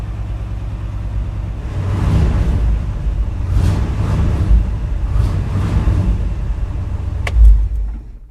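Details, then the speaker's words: Ford FE V8 in ramp truck after ignition tune-up, cold idle after overnight sit: deep, even rumble at steady idle, no misses, stumbles or ticks; smooth, suggesting firing order set correctly. "All right, there's cold idle, running smooth. Sounds like I got the firing order right."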